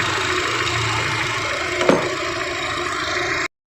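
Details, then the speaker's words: Honda Jazz with CVT automatic, petrol engine idling evenly at about 900 rpm with AC off after idle adjustment, no dips or shake; rising near 1000 rpm with AC on. "ini RPM sekitar 900 ya 900 tanpa AC"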